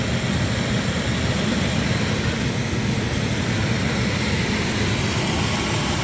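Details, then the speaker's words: Jacuzzi spa pump after electrical repair on a service call, running through its startup pump sequence; constant low rumbling hum with an even airy wash, no surging or grinding, no leaks, running smoothly. "See, that's the pump that's on right now. Then this one will kick on."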